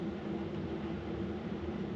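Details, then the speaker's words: Diesel heater installed in a VW Vanagon, at setting 5 of 10, drawing about 1.6–1.8 amps. Quiet, steady whir with a constant low hum from fan and burner: normal running. "Alright, that is setting 5 of 10. That is currently pulling 1.8 amp hours, so 1.7. So again, extremely efficient on the power consumption."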